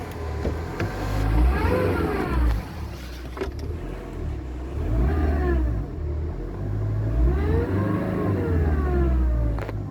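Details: Mercedes A-Class 1.7 CDI diesel revving up and down with an abnormal engine sound, a whistling tone rising and falling with revs; owner asks what causes it, source unclear.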